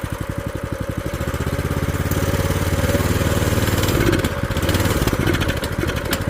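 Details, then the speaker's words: Old scooter run after years sitting, carb cleaned: engine revs up and sags back every couple of seconds instead of holding speed; governor suspected, owner to warm it and adjust, not confirmed. "oh no that's a governor or what we got going on here oh that's Governor there vers is that I'll get it warmed up and see if I need to adjust the governor"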